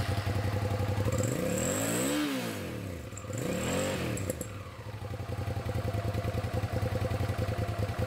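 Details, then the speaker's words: 2006 Hyosung GT650S V-twin, after 2 years stored and a carburettor clean: the blip and lumpy idle now have both cylinders firing. It had run on one cylinder and would not pass 5,000 rpm. "यह अभी भी केवल 1 cylinder पर चल रहा है अब यह दूसरा सिलेंडर है काफी बेहतर!"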